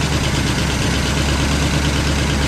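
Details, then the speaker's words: 1967 Cadillac DeVille V8, sat 10–15 years, started on fuel; steady even idle with smooth low rumble, hitting all eight, no misses or knocks, no tailpipe smoke, slight clank up top; healthy normal idle. "definitely hitting all eight that's what I'm talking about that sounds like a healthy motor right there runs like a top no smoke out of the tail pipe can't beat it"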